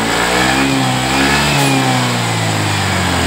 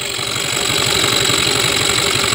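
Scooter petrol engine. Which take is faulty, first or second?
second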